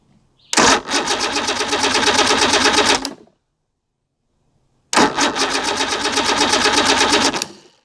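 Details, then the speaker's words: Evinrude 150 XP outboard that sat abandoned: two cranking bursts with even starter chugs and no firing. Fuel is good; owner suspects no spark from the original timer base with old, rubbery wires. "so the outboard behind me refuses to start it will not start in any way shape or form so i suspect it has no spark because it has good fuel"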